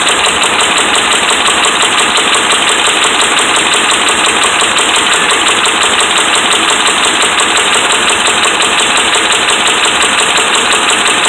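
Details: Dodge Ram 5.7 Hemi held above idle: steady, even metallic knocking, a little under three per second; bad connecting rod and crankshaft bearings.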